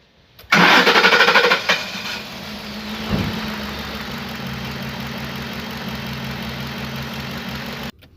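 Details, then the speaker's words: Ford Expedition V8 after injector and throttle body cleaning and new gapped spark plugs for misfire and weak pull: short crank, fires at once, smooth steady idle, no missing; power balance now okay. "Mga katropa, tingnan nyo naman, okay na yung ano niya. Okay na yung power balance niya."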